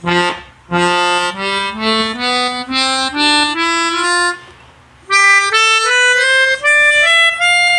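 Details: Pianica (melodica) after repair: clean separate notes climbing a scale, each sounding only while played, with no doubled or droning reed; the doubled sound had come from a slightly open membrane valve. Plays normally.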